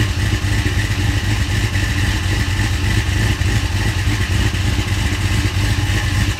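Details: 1970 Cutlass with a 6.0 LS, 4L80E transmission and sloppy stage 2 cam, after a mass airflow sensor was fitted: a lumpy cammed idle with a light uneven tick about three per second. It sounds like the motor is tapping; possible valvetrain tap.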